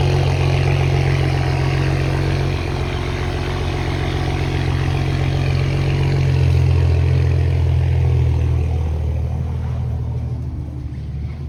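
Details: Toyota Supra idling cold just after new downpipe install: loud deep exhaust drone at fast cold idle, settling lower and even toward the end; healthy, idle sounds similar to before the downpipe.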